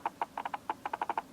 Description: Canon 70D + Canon 85mm f/1.8 USM Lens testing autofocus noise in video. It's certainly not the most pleasant or silent autofocus noise from a lens.